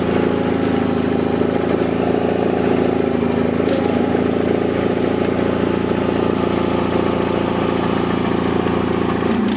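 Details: Toro Wheel Horse 416H lawn tractor with opposed-twin Onan engine, at start-up: steady, even drone with no knocks or misses at constant speed; a healthy engine running smoothly.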